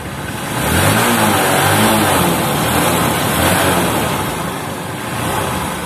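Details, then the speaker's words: Honda Supremo TMX150 motorcycle after cleaning the air cleaner, carburetor and spark plug: engine revs up and settles smoothly, no longer misfiring or refusing to rev. "Okay na mga idol hindi na si palyado ayan ah ganon lang ang gawin ninyo m idol"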